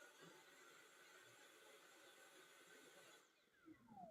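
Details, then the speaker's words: Cordless stick vacuum run on max: faint steady motor hum that drops away abruptly as the indicator starts blinking; cuts out from a bad battery that must be replaced. "and it shuts off. See that? It's starting to blink. So, the problem is this battery."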